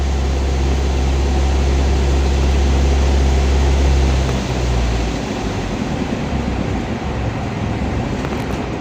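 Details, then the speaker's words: Clutch check on a car (Avanza clutch adjustment covered): steady low idle drone bogs down and dies about four seconds after the clutch is released in gear; engine stalling means clutch lining still thick and gripping, not slipping. "ini mesin mati berarti kampas k masih bagus teman-eman itu ya"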